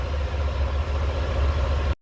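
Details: 1989 Chevrolet Celebrity base model, 205,000 miles, after fitting another IAC valve from an 82,000-mile car: engine holds a steady fast idle that never settles before cutting off; high idle, vacuum leaks keeping revs up, owner suspects IAC bad.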